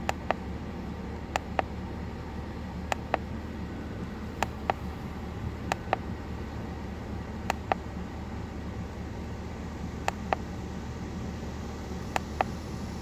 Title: LIVE data 2005 Chevy 2500HD 6.0 with misfire and knocking